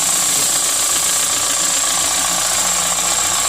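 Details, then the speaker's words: 2016 Kia Sorento 2.4 with an oil-consuming engine, which had a P0304 cylinder 4 misfire. After the fouled spark plug was cleaned with 600-grit sandpaper and reinstalled, it idles smoothly and evenly with no miss, behind a steady high hiss. "all right everything's back in Moment of Truth yeah that was it so I know for a fact that it's a spark plug"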